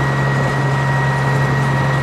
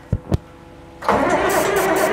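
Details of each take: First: John Deere 544B wheel loader diesel, first start in 23 years after fitting batteries and using ether: steady, even idle with a smooth low drone, no knocks or misses; engine running healthy. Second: John Deere 544B wheel loader diesel, unstarted for 23 years, with batteries fitted and ether at hand: starter whirs steadily about three seconds with a rough cranking drone, then drops away; the engine never catches. Cause not stated.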